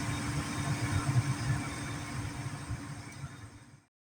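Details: Gas furnace after igniter replacement (previously not igniting), burners lit: soft steady low rumble with even hum, no clicking or retries, then shuts off. Normal firing, fix successful.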